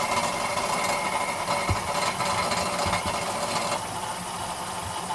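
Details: 2011 Ford Fiesta 1.25 Mk6 idling, heard from underneath as the clutch is worked in and out: irregular rattle with sharp knocks, felt through the pedal like a heavy misfire; fault in the gearbox/clutch, gearbox removal needed.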